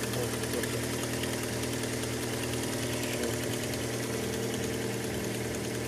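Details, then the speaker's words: Fiat Albea cold petrol engine just after start: quick uneven ticking knock lasting seconds to a minute until warm, worsening over 3–4 months; caused by a loose exhaust manifold, fixed by tightening it. "Всем привет появилась такая проблема заведешь машину идет какой-то стук какое-то время у минуты может быть не всегда правда бывает несколько секунд"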